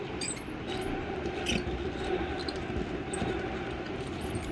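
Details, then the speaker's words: Ceiling fan turned by hand: faint, irregular high chee-chee chirps about every half second; dry squeak when spun, cause unclear. "इसमें इस तरह की आवाज़ आ रही है, तो इस आवाज़ किस कारण से आती है, क्या इसमें प्रॉब्लम है"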